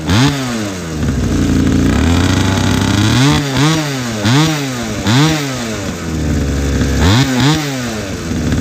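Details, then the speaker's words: Old pocket bike with a small two-stroke engine that sat about 10 years, after tuning cured its bogging: revs up cleanly and drops back repeatedly, crisp with no bog or stumble; normal running. "i had to tune it a little bit but it runs it doesn't bog down anymore it actually drives"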